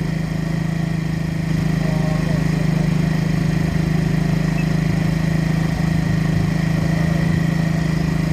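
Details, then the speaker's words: Yamaha Mio J fuel-injected scooter, injector already replaced without cure, hard starting and stumbling, held on steady throttle during a data check: slightly uneven, lumpy beat, won't idle on its own and stalls when released; fuel pressure reads normal, cause unconfirmed. "ini posisi saya gas terus karena kalau saya lepaskan nanti mati jadi nggak bisa baca datanya"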